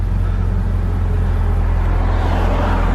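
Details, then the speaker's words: 2000 Honda Civic Si (EM1) with a swapped-in B18C, started cold off a trailer, heard from the driver's seat; a smooth, even low hum with a steady beat and no knocks or ticks, a healthy cold idle. "Let's go ahead and start this up. Yeah, it sounds just like a brand new Civic."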